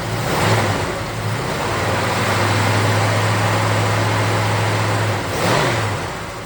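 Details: 1969 Chevelle SS big block, sat 37 years: revs rise and fall through a couple of blips with an uneven, lumpy beat, not a clean pull. Pyrometer finds cylinder 3 coolest at about 350°. Rough-running misfire, cause unconfirmed; plug wire swap planned first.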